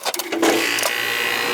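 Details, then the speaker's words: Heat pump AC condenser not cooling, after repairing a single wire connector: a few clicks, then the compressor kicks on and settles into a steady, even hum with no rattle; it now starts and runs normally. "started. You hear it? Yeah. I see it and I hear it. Yeehaw. So that was the problem?"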